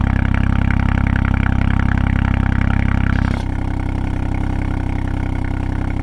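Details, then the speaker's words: 2020 Ford Fiesta MK8 ST with a Scorpion GPF-back exhaust, before the fix: steady idle with a fast buzzing rattle, about four a second, that drops off partway, from the loose exhaust valve rattling, also faintly heard when revved. "um yeah that that has solved the problem and and you could i think i could slightly hear rattling as well when when you revved it um before i fixed it"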